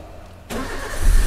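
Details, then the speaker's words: Toyota Avanza K3-VE EFI after repairing fault codes P0105 and P0110 and resetting with a scan tool: starter catches, engine fires at once and builds to a firm, steady idle, check engine light off; normal start and idle. "oke mesin sudah hidup stasioner idle kemudian ini ya di sini ya di sini cek engine-nya sudah mati"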